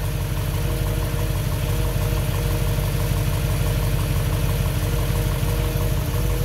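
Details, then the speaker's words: 1955 Chevy Bel Air convertible engine first run after 30 years parked, with gas added to the carburetor: steady, even idle with a smooth burble of about three pulses a second and no misses or knocks; running well. "Purrs like a kitten. This engine hasn't started in 30 years. She's running pretty good now."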